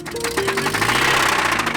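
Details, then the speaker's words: 1985 Toyota pickup with a replacement 22R engine swapped in for a seized 22RE, failing after about one week on the trails: loud, rapid, regular knocking, about ten raps a second, over the running engine. Internal engine knock. "Well, I don't know about you guys, but I don't think a 22 RE is supposed to sound like this. That is bad."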